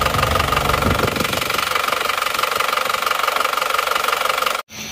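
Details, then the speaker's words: Isuzu Panther pickup diesel, cold engine smoking heavily (blow-by) and running harsh and uneven with a steady knock about three per second over the clatter; teardown found one seized piston and all other pistons, rings and possibly liners worn. "oke Ini sudah ketahuan masalahnya penyebab ngobos dan suaranya emang agak kasar ternyata seperti ini sekernya ada yang macet dan kondisi seker lainnya itu sudah rusak sudah Aus semua"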